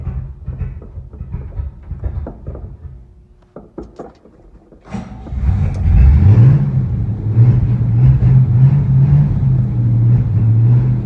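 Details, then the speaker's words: 1969 Chevy C10 with non-original 283 V8, mild cam, Unilite ignition: clatter, then it fires, revs briefly and settles into an even, deep rumble. "I got the engine dialed in, I think, with the correct timing and ignition timing and carburetor adjustment, I hope. We've had some trouble with it stalling and stuff, but it sounds good right now."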